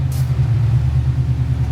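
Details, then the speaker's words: Bagged 1954 Chevy pickup V8 test-fired with new Flowmaster mufflers tacked on, compared with before: deep even rumble pulsing steadily with no rasp or rattle, much quieter; healthy mellow exhaust. "Yeah, sounds a lot better. It's a lot quieter. Yeah, it's got a rumble to it."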